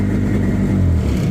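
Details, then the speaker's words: 1998 Yamaha WaveRunner GP1200 two-stroke after engine rebuild and installation: steady low drone holding one speed with no stumble in this short burst; the two carburetors still need fine tuning. "So I've got 2 to fine tune the carburetors on, which is more work than you really want to do, trust me. But it's just the way it is with these carburetors."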